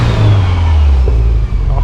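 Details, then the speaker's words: Series Grey Subaru STI big-turbo after cracked header repaired: deep even note, clean rev, no ticking or exhaust puffing, exhaust leak gone; only an underbody rattle remains; turbo sounds healthy. "it's so quiet now there's no freaking exhaust leak and on top of that now you just hear my lovely rattle underneath the car listen to the turbo now this thing sounds awesome"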